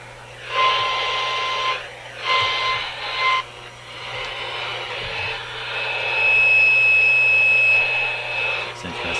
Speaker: it's not a hum it's not a hum at all it's a in this case it's a hashy sound bird chirping sounds weird stuff comes out of them